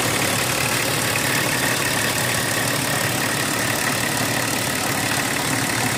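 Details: BMW 325tds E36 diesel after replacing the Bosch R515 injection pump actuator seals: steady diesel clatter at idle with a busy, even rattle, no speed change; abnormal noise, cause unclear.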